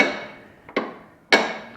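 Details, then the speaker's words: Manure spreader wheel hub, reassembled with spring-loaded pawls held by cotter pins: crisp separate clicks about half a second apart as the wheel freewheels in reverse, normal; going forward the pawls engage the axle. "So you can hear it clicking when we're going in reverse"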